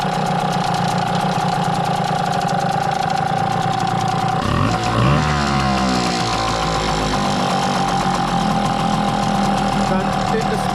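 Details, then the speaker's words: Hangkai T6 6hp two-stroke outboard, first ever start, in water on a cold morning, now warming up: steady even idle with brief rev change; fuel flowing through carburetor, running smooth. "I think now the engine's warming up and fuel's flowing through the carburetor."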